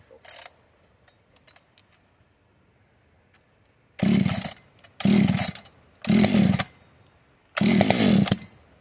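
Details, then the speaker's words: Fully built 60cc chainsaw, tuned with ignition advance, started with no choke or high idle: four sharp throttle bursts, each clean and crisp, dropping straight back, extra air audible; well-tuned, normal running. "Everything is just jiving perfect. Yeah, that's, listen to that extra air going through there."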